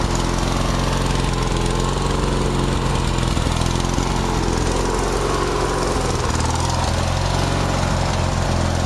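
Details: Craftsman DYT4000 lawn tractor, just fully fixed up, runs with an even, steady single-cylinder thrum at constant speed. It runs properly.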